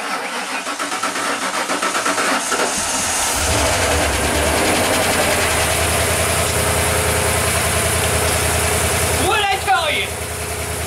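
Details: Van after a new ignition coil was installed: brief cranking, catches quickly and settles into a steady, even idle with no misses; starts and runs normally.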